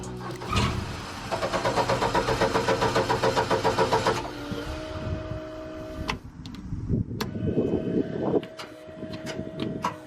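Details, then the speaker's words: Upright AB62RT gas boom lift, sat over a year, weak battery, relay swapped: starter spins a steady, slightly tired rhythm about four beats a second and never catches; fuel injectors suspected of not staying lit, bad connection suspected. "it wants to go but it doesn't and there's a bad connection there too I think I'm like priming the fuel injectors but they're not staying lit"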